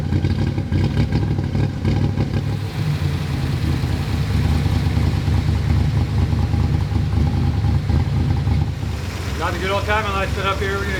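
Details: 1963 Corvette split window small-block V8, first start after sitting: deep, even idle with a steady lumpy pulse, no knocks or misses; normal idle before timing set.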